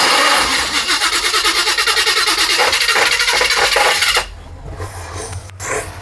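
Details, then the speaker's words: Free A-Team-style van being manoeuvred with the engine running: rhythmic rasping pulses, about three a second, for four seconds, then an abrupt stop; a new, unexplained noise. "I don't know why it's making that noise. That's a new noise. That's brand new, bro."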